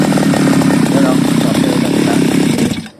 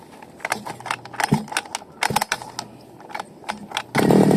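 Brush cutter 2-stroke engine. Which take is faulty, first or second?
first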